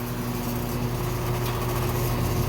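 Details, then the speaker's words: Older home A/C outdoor unit in Florida after replacing seized condenser fan motor: steady, even hum at constant low tone, no scraping or wobble; smoother than before; condenser fan running smoothly and healthy. "definitely feels smoother than before"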